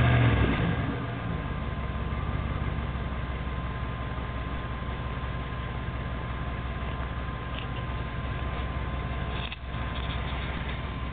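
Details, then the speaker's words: 1994 Jeep Grand Cherokee 318 V8 with tailpipe broken off: deep, loud, raw unmuffled rumble held steady at about 1600 rpm. "that's what a Jeep sounds like with virtually no tailpipe on it. It broke off."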